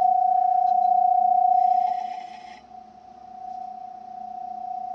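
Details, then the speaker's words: Fairchild 539A record cutting lathe with replacement servo motor in 16 2/3 RPM mode: a steady pure tone near 700 Hz that drops when the coupler is touched, then swells back. Coupler mechanical resonance, not the motor; damped with silicone tape. "that tone is actually coming from the couplers vibrating. The motor is not vibrating."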